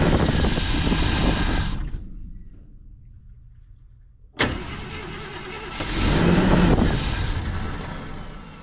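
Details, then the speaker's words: 1971 Jeep J4000, 83,000 miles, not run in almost a decade, new fuel pump fitted: starter churns steadily with no firing; no fuel because the line was left clamped off with vise grips. "I found the problem on why it's not pumping fuel. I blocked off that line with the vice grip so it wasn't just draining all the fuel."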